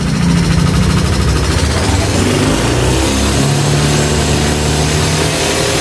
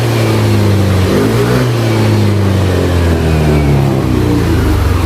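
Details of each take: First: Yamaha NMAX/Aerox new scooter revved slowly: rough ticking valvetrain rattle that turns smooth when variable valve timing (VVA) engages and rough again when it drops off; failed intake rocker arm bearing. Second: Yamaha NMAX New after replacing worn bearings, the rocker arm shaft and the failed rocker arm bearing that caused a rough engine sound: the revs rise and fall cleanly with a smooth, even note and no ticking from the top end.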